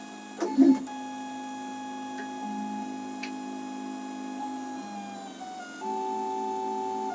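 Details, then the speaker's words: Makerbot Replicator with intermittent carriage fault, printing on unheated bed: loud buzzing stepper tones jumping pitch with each move, no smooth hum; noise from old drivers without microstepping. "yeah all that noise man that's what it sounded like when I first started out"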